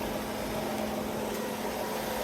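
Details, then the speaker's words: 1994 Ford Escort after oil change: steady, even idle hum with no knocking or ticking; brief clatter as oil filled the new filter, then smooth once oil pressure came up. "sounds good she claded for a second as the oil went through that filter and then Charmed right up"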